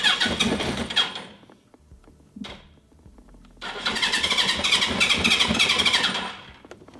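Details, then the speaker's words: 1980 Suzuki GS1000S Wes Cooley inline-four with a carburetor fuelling problem, starting hard and stalling off idle when warm; airbox, breathers and filter fitted, vacuum petcock hose blocked. Catches and runs rough in bursts, dropping away; smoother than before but won't run off choke. "I swear it's weird. It doesn't want to run on. All right. It does not want to run off a choke."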